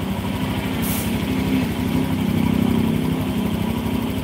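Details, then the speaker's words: Honda Vario fuel-injected scooter at idle: the idle thrum pulses about four times a second, and the beat wanders and swells instead of holding even. The unstable idle comes from a dynamic air leak caused by a dirty air filter and dirty throttle body. "nah jadi gak stabil Bos ini ada kebocoran dinamis kebocoran dinamis itu karena faktor filter udara kotor Throttle body kotor ya"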